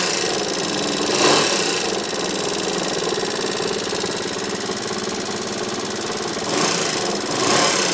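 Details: Yamaha XMAX scooter engine described as "sick": loud idle with a fast, irregular knocking clatter of roughly four beats a second; mechanically unhealthy, cause unknown.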